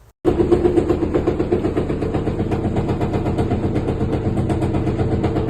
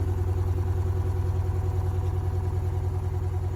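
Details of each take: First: Top-load washer during spin-dry, loud and rough with a rapid rattling knock even after recent suspension rod replacement; one of the four suspension rods vibrates more than normal and was fixed. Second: Top-load washing machine on spin after repair; suspension shocks had been replaced and one faulty, over-vibrating shock was then fixed: steady low smooth drone with no knocking or banging; normal spin cycle.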